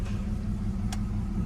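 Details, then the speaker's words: E46 BMW 325xi with code P1349 cylinder 4 misfire, fuel cut-off: low, uneven, lumpy idle with engine shaking; misfire at idle only, goes away when revved. "So it's just misfiring, guys, you know. It's shaking right"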